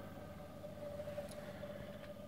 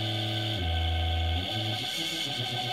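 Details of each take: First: Small induction motor on open-loop control with no speed feedback, speed set by a potentiometer from SLA batteries: steady mid-pitch electric hum that wavers and steps unevenly, running very rough as speed rises. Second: Induction motor on first open-loop drive from SLA batteries, about 36 V, speed set by a pot with no feedback: stepped whine wanders in pitch, then settles into a steady even hum with clean tone, running smoothly at the right frequency.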